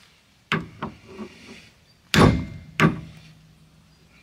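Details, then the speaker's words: Peugeot 106/Saxo/AX rear axle rebuild: final hammer blows seating the rear hub onto the stub axle splines; the ring turns duller and more solid as it bottoms out, showing the hub is fully seated. "Voilà, on a entendu le bruit a changé. Voilà. Le bruit a changé, ça veut dire qu'on était embuté."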